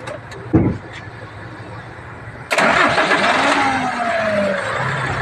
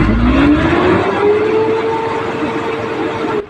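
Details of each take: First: Hino diesel truck that had a hard start, low power and misfire, starting after a new limiter was fitted. After a short pause it cranks briefly, catches at once and settles into a steady idle; RPM improved, but power is still lacking. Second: Hino diesel truck with hard start, low power and misfire, after fitting a new limiter: revs up smoothly to just over 2000 rpm but pulls flat and weak; starts easier now, low power at high rpm remains, cause unknown.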